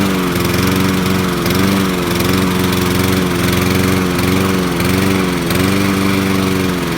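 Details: Sears Craftsman lawn mower with Honda engine, model 944.365452, running with a steady drone that dips and stumbles about every two-thirds of a second, a misfire of unknown cause.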